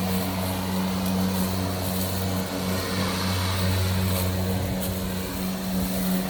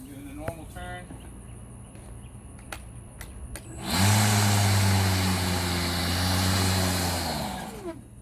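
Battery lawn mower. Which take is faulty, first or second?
second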